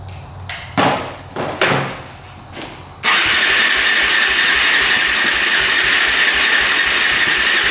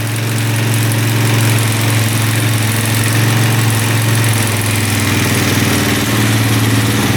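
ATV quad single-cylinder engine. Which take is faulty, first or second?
first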